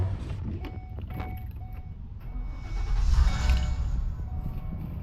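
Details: Ford E350 van idling with a thin steady whine over the rumble, changing with AC load; sounded like an AC compressor.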